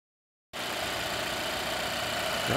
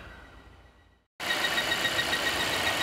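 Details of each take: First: 2016 Volvo XC90 after replacing the failing oil trap (PCV system) that caused a loud whistle and lean code P0171: after a quiet start the engine settles into a steady, even idle with the whine gone. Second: 2016 Volvo XC90 with lean code P0171 and engine light on: steady loud whistle near 2 kHz with faint chirps over engine hiss; the noise stops when the oil cap is lifted. Failing PCV oil trap, needs replacing.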